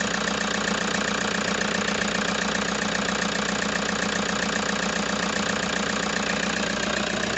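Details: Toyota HiAce diesel at idle with a regular knock two to three times per second, plus vibration and excessive white smoke; a mechanic recommended an engine overhaul, cause not pinned down.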